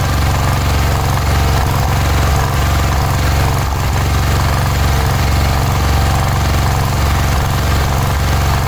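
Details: Cub Cadet 1106 riding lawn tractor (1987; listed as 1986), sat over 4 years, bottom carburetor adjustment screw ineffective: loud, uneven single-cylinder chug with irregular beat and occasional stumbles. Rough running; old fuel suspected drawn through fuel line.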